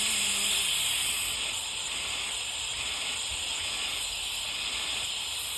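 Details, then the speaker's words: Rolls-Royce Silver Cloud power steering box during reassembly, air-tested: strong steady air hiss from the fast-flowing port versus little from the other, showing the spool valve slightly off center; shimming planned to even the flow. "Here you can hear the difference when I cover one port versus the other on how much comes out here. So here's the fast flowing port."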